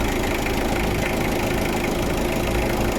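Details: Mitsubishi Adventure after replacing and cleaning the alternator carbon brush to cure hard starting: a steady, even idle with a soft regular patter and no knock or misfire. Charging now rises quickly to about 14 V; normal idle.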